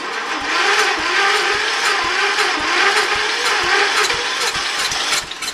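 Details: Early-80s Ford LGT120 with a Kohler K301 12hp single, fitted with a new piston; weak battery. Slow, labouring starter whir with about two compression thumps a second, never catching. Starts this hard warm or cold; owner suspects valves.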